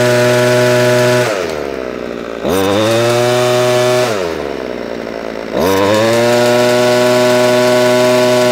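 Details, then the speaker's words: Ryobi strimmer after carburettor work and idle tuning, running off choke: strong, steady high note dips twice and climbs straight back without stumbling; revs pick up cleanly. "you can hear by the engine revs it is picking up so we are we are sort of winning I need to run it off a choke fully and then we should get a much better result"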